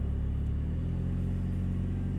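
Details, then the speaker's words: 2000 Nissan Altima, an old car owned since 2010: deep, loud rumble with a throaty low drone at idle, louder than stock, because the exhaust is leaking; owner is taking it to a mechanic. "bad exhaust. It is leaking, so it's making a lot of noise."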